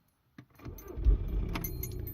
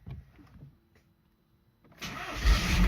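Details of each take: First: Audi A3 2.0 diesel BKD, cold start; click then brisk even cranking at about 427 rpm, healthy, whereas hot it cranks only 187 rpm (needs about 280 for injectors); owner suspects weak battery or starter. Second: Audi A3 2.0 diesel BKD with hot-start problem, engine hot with coolant temperature sensor disconnected; short crank, catches at once and settles to even idle, starting well; cause not confirmed, starter later replaced.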